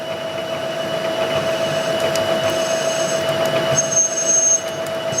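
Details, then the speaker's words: Drill boring slowed-down holes in hard bronze for an etching press anti-rotation wear plate gives a steady high squeal with a piercing whistle over the drill's hum. "And you can hear it. You hear it squealing a little bit."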